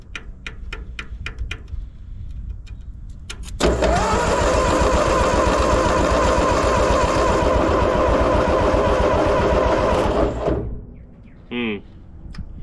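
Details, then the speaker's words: 80+ year old Ford 9N tractor with flat tires and a freed-up engine is cranked with the plugs in and a spark checker fitted. There are about seven seconds of steady cranking with no firing and no spark seen. Carb cleaner residual in the ignition caused a fireball. "not good i don't see anything that was interesting"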